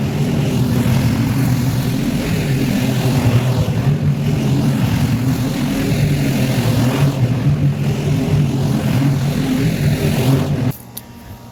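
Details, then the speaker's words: Mower on its second pass through tall, thick, wet grass: steady low drone that sags and labours, wanting to bog down under heavy cutting load, so ground speed had to be slowed. "You could hear how thick and wet it is with how the mower was wanting to bog down, so I had to slow down a little bit."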